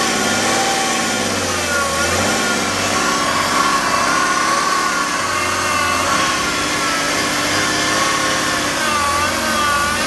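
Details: 2009 BMW E60 535d diesel running, thin steady whine riding high above the engine near the power steering pump; abnormal accessory noise, source unknown.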